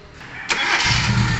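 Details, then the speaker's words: 1997 Mitsubishi Lancer after EFI-to-carburetor conversion using a Toyota 4K carburetor on a fabricated intake manifold, no air filter yet: brief crank, catches first try, settles to steady low idle, no hard start. "So ayan na po mga kalbularyo, umaandar na ang makina. One start lang po mga kalbularyo. Hindi rin siya hard start, one start lang po."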